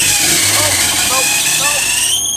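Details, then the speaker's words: Renault Megane 225 Cup running: a steady high-pitched squeal over the engine without letup; the squeak stopped after moving the car, so the owner guesses something was on the belt. "I'm just been moving it around for a better picture and the squeaking head stops so I'm guessing there was just some [ __ ] on the Belt oh no"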